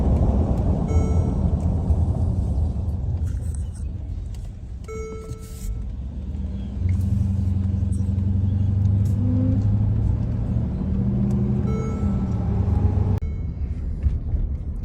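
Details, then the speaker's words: 2013 Mercedes-Benz GL450 4Matic cruising after transfer case stretched chain replacement: steady road rumble and tyre noise, no whine or shudder, and no grinding or jumping that occurred before at 900 rpm, 10 mph; transfer case healthy. "so before right there will start making that noise like uh grinding noise and like jumping tits and all that now as you can see it's all good it's not doing that anymore so it's perfect"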